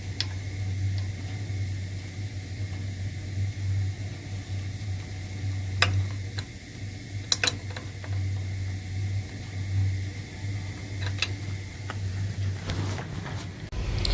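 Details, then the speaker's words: Newly replaced heating circulator pump, wired directly to the boiler, running after installation: steady low hum with a few light handling clicks. Smooth, quiet, normal operation, with water circulating through the pipes. "So this pump is wired directly to the boiler, so it turns on when the boiler calls for it. And as you can see, it's running nice and smoothly, and a job well done."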